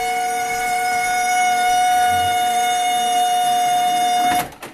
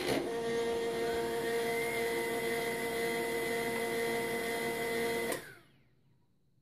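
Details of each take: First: HP LaserJet 1200 squealing like a pig at power-on, toner and paper tray removed; loud steady high-pitched squeal for about four seconds, then stops; laser scanner motor squeal, fixed later by lubricating the motor. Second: HP LaserJet 1200 laser scanner motor after lubricating with oil, toner and paper tray removed, test run before full reassembly; steady even hum with clean tones for about five seconds, no squeal; quiet scanner motor.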